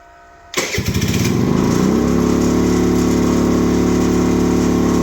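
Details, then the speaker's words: Icebear Maddog 50cc scooter on an electric fuel pump, warm: it revs up and holds a fast, steady buzz at about 4,000 rpm instead of returning to idle, trying to roll off its stand; idle too high. "yeah now it's just holding a 4,000 RPM idle and wanting to roll itself off of it stand all right that's not good"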